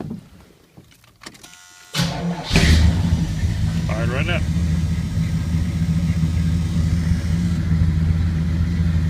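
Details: 1981 Chevrolet K10 with small-block 350 after HEI tune-up (new cap, rotor, timing recurve kit, coil and ignition module): short crank, V8 catches at once, settling into a steady, even, smooth low-rumble idle; running fine.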